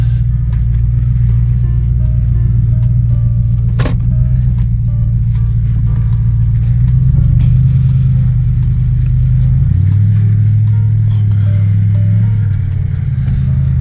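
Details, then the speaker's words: 2006-2010 Jeep Grand Cherokee/Commander road test after replacing the wheel hubs (Mevotech) and fitting extended wheel studs, parked over a week beforehand, brakes pumped up: steady, low road rumble that rises and falls with speed, with no hum, growl or clicking. The hubs are quiet. "I get the brakes up to par because they were off, so I had to hit the brakes once or twice. Ooh, I'm not hearing no noises."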